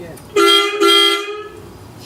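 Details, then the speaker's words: 1970 Opel GT barn find, first start attempt in about 30 years: two strong, clear horn blasts with full steady pitch, no rasp or sputter. Healthy horn. "got real good horns i had to rebuild mine to get him to work"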